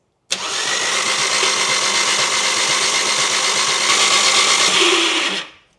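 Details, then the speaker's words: Nissan Micra with swapped Audi/VW 1.8T engine, cranking after a remote oil filter install to build oil pressure: harsh, high, raspy whirr for about five seconds with no compression beats; owner suspects a worn starter motor needing replacement, though it still works. "Oh, the starter motor making that weird noise is because it probably needs replacing, but still works okay for the moment."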